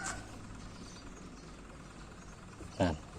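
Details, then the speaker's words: Old washing machine after repair with a new gearbox fitted: quiet, steady low hum from the wash tub with no grinding or knocking, now its normal running sound. "ปกติแล้วครับบ่ดังแล้วครับบกเสียงปกติของมันนะครับ"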